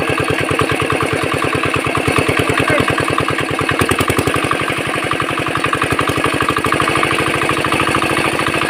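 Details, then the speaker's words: Very old 4 hp China diesel R170A after full rebuild and fuel pump setting, air cleaner fitted: quick, even thumping beat, roughly ten firings a second, steady without misses; runs cleanly. "তো এবারে বন্ধু ইঞ্জিনটা start করবো। Sound একবার শুনুন যে অল্প খর্চার মধ্যে ইঞ্জিনটার কত সুন্দর সাউন্ড চলে আসছে।"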